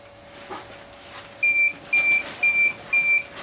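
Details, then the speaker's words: Salvaged Tripp-Lite UPS used as 36V DC-to-110V AC inverter, run from Milwaukee M18 batteries and solar charge controller, AC cable removed: four high, even beeps about two per second; on-battery warning that mains is unplugged. "What that means is it's saying that the UPS is unplugged from the outlet, which it is, because I already removed the AC connecting cable right here."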